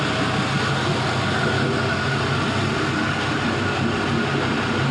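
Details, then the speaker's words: 5.3L Gen 3 LM7 LS V8 with 180k miles warm-idling on an engine stand near 94 degrees with about 40 psi oil pressure. Steady, even drone with no knocks, misses or ticks. Normal, healthy warm idle. "So we're about warmed up. I definitely always like to try and get as much of that heat range as possible so you can see how it sounds, how it runs in many conditions as possible."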